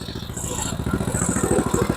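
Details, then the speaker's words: MTD Snowflight two-stage snowblower with Tecumseh 8 hp Snow-King engine, just revived: the engine chugs at an even, steady beat while driving in reverse, with no grinding, slipping or clunking. Normal reverse drive. "Yeah, reverse is good. Okay. Good sign. Good sign. She's a runner."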